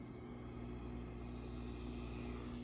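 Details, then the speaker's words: Ampeg V4B tube bass amp in for 60-cycle hum, after replacing a 10µF capacitor with a 250V one and a .0047µF 600V capacitor; bias near -61V of 64V target: much quieter, but low steady hum and faint buzz remain. "Things are much quieter now. Um there's still a little buzz, little hum happening."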